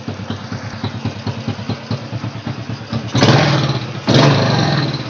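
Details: Honda Supra motorcycle, previously dying, surging and hesitating, after carburetor repair and air-screw adjustment; small single idles with a slightly uneven putter, then takes two quick throttle blips cleanly without stalling.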